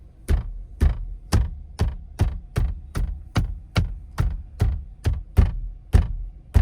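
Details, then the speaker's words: Car front passenger door panel knocked by hand, about two a second, compared with the driver side: each knock is followed by a brief loose buzzy rattle. Checking a passenger-side rattle complaint heard while driving. "I was comparing the noises from the driver's front passenger door panel when I banged on it to the driver's side so take a listen"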